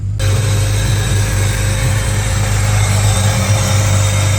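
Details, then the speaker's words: Steady idle with a loud, constant hiss of air drawn in over the engine hum, which the owner blames on a cheap aftermarket throttle body and its idle air control; intake noise louder than it should be, cause unconfirmed. "This makes very loud sucky noises. [Music] I don't like that. So, plan number one for today, we have to fix the throttle body."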